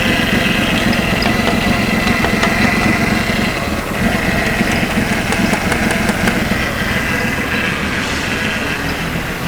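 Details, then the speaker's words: 2006 Ford Taurus after salvage-yard engine swap, injectors freed by tapping: uneven, lumpy misfiring idle with sharp taps. Rear injectors on cylinders one and two still bad; run cleaner, may need replacing. "you definitely want to run some cleaner in this beat and it's the back to one and two you may end up having to change them"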